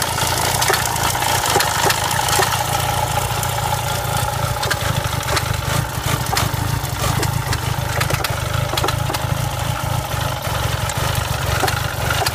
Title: Misfiring rattling clio 172 cup